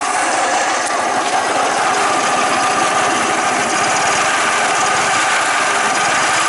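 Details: Suzuki Mollet: a fast, relentless metallic clatter riding over the running engine at a steady rate, an abnormal engine noise with the cause not yet pinned down.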